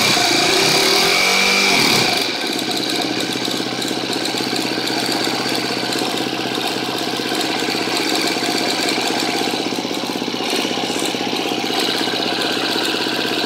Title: KTM 250 exc-f 2013 6 days, ticking sound while idling, bad cam tensioner?